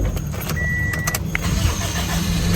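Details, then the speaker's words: Car that would not start, traced to the starter and temporarily freed by clearing debris and slamming the hood: brief cranking whirr and clicks, then the engine catches into a steady low idle. Starter confirmed at fault; the fix is temporary. "So there you go. Yes, it did start. So yes, it was the starter."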